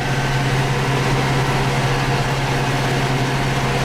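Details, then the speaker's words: Tractor mowing grass for silage in gear, earlier troubled by suspected fuel filter blockage; deep steady diesel drone under load without surging, running alright in thinner grass; normal running under load. "See, I'm going alright now. That fuel filter blockage, I think it's playing me up a googly because this tractor's going alright now, but there's thinner grass here."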